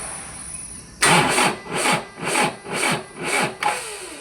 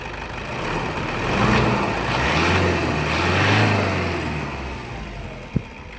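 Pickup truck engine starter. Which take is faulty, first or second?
first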